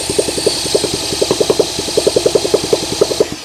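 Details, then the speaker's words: Honda SL125 thumper, long-sitting, seized engine recently freed, fresh battery: uneven bursts of firing pops, about a dozen over a few seconds, then fades out; catches briefly but won't keep running; no bottom-end banging heard; cause unconfirmed. "Oh, it wants to."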